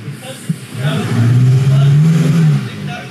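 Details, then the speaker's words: 2014 Chevrolet Malibu, customer complaint intermittent stalling, brake-torqued to load the engine: the note climbs with an uneven, stumbling beat. A bad misfire, judged secondary-ignition related; a valve cover gasket leaks oil into the coil area, the cat is bad and it idles lean. "that's a bad miss that's that one's that's bad"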